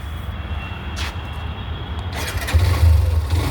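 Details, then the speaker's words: Hero Xtreme 125R motorcycle at 2,577 km, warm after a 25 km ride, self-start: quiet at first, then catches and settles into a low, steady idle with no knocks or rattles; normal start and idle. "सुनो पहले आवाज एकदम first class आवाज है और मैं इसको 25 किमी चला के आ चुका हूं"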